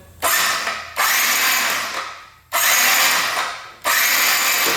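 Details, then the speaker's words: 2022 Benelli 302S motorcycle bought at auction, first start attempt with brake held; repeated one-second bursts of high starter whirring as the engine spins evenly without catching or dragging, turning over smoothly. "Oh yeah. So it turns over smooth."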